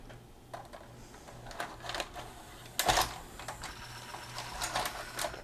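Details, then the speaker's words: Magnavox ZV427MG9A DVD/VHS in VCR mode: short whirs and clicks as it loads a tape, then a loud clunk and whirring as it ejects; loading motor keeps running and unit shuts down; mode select switch issue suspected. "and i took it in and ejected it which is an indication of a mode select switch issue"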